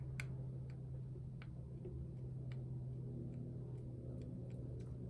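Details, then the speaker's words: 1960 Silvertone 1431 tube amp (6AU6 preamp, 6V6 output, 6X5 rectifier): steady low hum with sharp random crackles cutting in and out; pin 6 of the 6AU6 preamp tube socket makes and breaks contact when wiggled, fix is replacing the socket. "So despite this obvious soldering problem on the power tube, the amp still crackles really bad around the preamp tube. And I found that pin 6 of this tube socket is actually bad in general."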